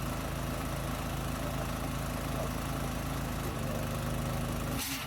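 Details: New gas-powered MaxAir air compressor, first run after unboxing and assembly, after some difficulty starting: small petrol engine thumps steadily, shifts note, then cuts off with a burst of air hiss; running normally.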